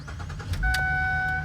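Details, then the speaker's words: Dealership car, with a previously dead battery and no check engine lights: a quick crank, then it catches and settles into a quiet, even idle under a loud door chime. Nothing out of the ordinary from the engine; normal start. "Like a dream. The beeping is really loud, but runs well. Not hearing anything out of the ordinary from the engine, so that's good news."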